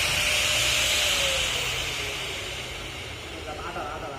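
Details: AG4 angle grinder (cutting machine) after gear-side head bearing replaced and regreased; before repair it was noisy with excessive shake: now smooth, steady high-pitched whir that eases off gently, no grinding or rattle; normal running.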